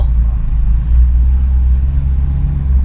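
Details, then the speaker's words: 1986 Chevrolet Suburban Silverado, 305 small block, 700R4 automatic, warm after a long drive and stopped at lights: low, lumpy idle that surges and sags unevenly, better on throttle; owner guesses a vacuum leak, not confirmed. "maybe you can hear it it just is not want to idle at"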